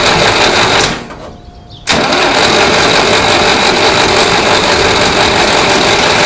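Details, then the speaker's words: 1960s Massey Ferguson 165 tractor, coolant drained for winter, spark confirmed with a tester: starter churns steadily at about three turns a second with a pause, never catching. Only a little fuel reaches the carburetor; stuck float needle suspected. "I put a spark tester on a plug wire and cranked it, and we've got spark. So only a little bit of gas comes out of the carburetor, which is a problem."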